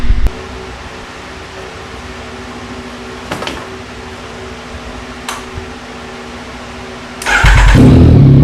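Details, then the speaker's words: 2021 Yamaha MT-09, cold start just after installing a full Akrapovic race exhaust: after a quiet stretch it fires at once into a loud, even, high cold idle with no rattles. "We're gonna do a cold start. I mean, yeah, definitely we're gonna do a cold start."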